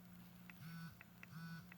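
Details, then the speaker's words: Ecollar Mini Educator ET-300 collar, T button set to vibrate out of the box: low steady buzz with short louder pulses like a phone vibrating in a pocket, vibrate mode working normally. "so I out-of-the-box the caller set to vibrate know if you can hear this"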